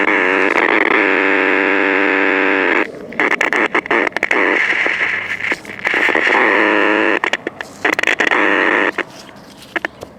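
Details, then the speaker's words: 1960s Major pocket AM transistor radio with tin transistors, under repair: steady hiss and harsh crackling dropouts cutting the sound in and out; a bad AVC capacitor is suspected, not confirmed. "okay so it sounds like it might have a bad AVC capacitor there's also something funky here"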